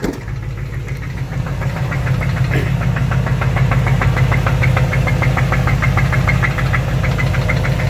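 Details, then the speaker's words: 2005 Dodge Ram 1500, 5.7 Hemi V8 at idle: sharp, regular knock about three per second over the idle. Owner suspects a main/lower-end bearing; others suggest the flexplate. Unconfirmed. "I don't know if some of you guys can decipher what this noise is, but to me it sounds like the main bearing of some sort. Some people are telling me it's the Flexplate, so I really don't know what it could be."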